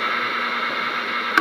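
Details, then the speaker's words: GE P-975D radio on AM after FM oscillator adjustment: steady hiss and crackle drowns the station with one sharp tick; interference from a phone charger plugged in behind the radio. "That sounds more like interference than anything, though. I'm just wondering. Oh, okay. I think I see it now. There we go. My phone charger was plugged in behind her."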